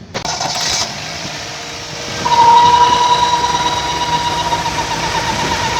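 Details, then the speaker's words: 1998 Toyota Indus Corolla at idle with both accessory belts, including the power steering pump belt, removed: a thin steady whistle still persists, so it is an internal engine whine. The PCV valve is suspected. "दोनों बेल्ड उतारने के बाद भी इसकी आवाज बंद नहीं हुई ठीक है"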